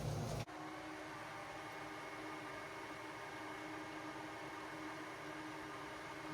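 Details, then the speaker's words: Mitsubishi Eclipse GSX 4G63, both radiator fans tested after wiring a new relay, triggered by a jumper wire before the inline fuse is fitted. A click, then a smooth, even whirring hum with no ticking or wobble; both fans work fine. "I should be able to just touch this white wire to the red one, and we should hear the fan kick on."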